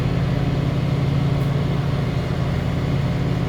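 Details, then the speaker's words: Condenser of a 2-stage central AC at a rental property, previously miswired so it wasn't running, running on first stage with contactor pulled in as it should be; steady low hum, even compressor drone and fan rush, no rattles or cycling; normal. "I plugged the disconnect in and it immediately started running. So it was just miswired. You can see here the contactor is pulled in, as it should be."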